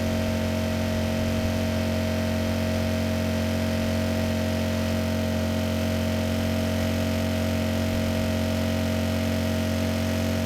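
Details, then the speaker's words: Repaired Kipor KGE 1000Ti inverter generator, warmed up, near full 900 W load (THD 2.3%): constant, even hum holding one pitch with no surging or hunting. Normal running under load. "You know, this machine just performed flawlessly. It started right up, had no issues handling the load, and actually did a great job handling a sudden load."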